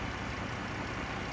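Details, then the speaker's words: 2013 Chrysler Town and Country Touring L, 3.6 L V6, 5-speed automatic, engine compartment: smooth even idle hum, no ticks, knocks, misses or vibrations; normal idle. "as you guys can tell nice and smooth running engine no odd noises or vibrations now this is a 3.6 L V6 uh made it to a 5-speed automatic transmission runs and drives very smooth so no issues"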